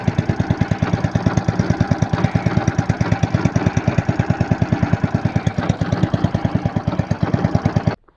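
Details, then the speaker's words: Lifan 190F 15 hp single in a motorized towing unit, after a cold night and hard starting, knock appearing on throttle: sharp metallic knock on every firing, about three a second; camshaft end play from worn crankcase cover. "но только нажал Ручку газа и пошёл стук непонятный такой металлический Явный Сток"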